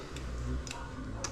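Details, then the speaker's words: 1987 Yamaha TW200 with engine off and low battery: turn signal flasher clicks irregularly, sharp and thin about twice a second, because nothing is charging while lights operate. "You can hear it clicking a little weird. The engine's not running. So, nothing's charging and we're operating lights and it's got low batteries."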